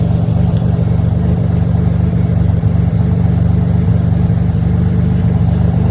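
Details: 2007 Pontiac Grand Prix after a week of crank-no-start, fuelling issues and misfires, fired right up once the MAP sensor was changed: even, steady low idle with a regular beat and no misses or knocks.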